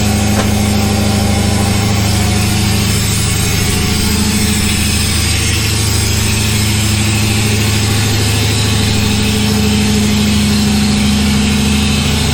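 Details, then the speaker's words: LS1-swapped Chevy S10 started cold with no intake tube or air filter, untuned: it cranks right up and settles into a steady, fast idle of about 1500 rpm. High cold idle; a tune is probably needed. "There it is. So that's it. Gumby runs. Crank's right up. Idle's kind of high."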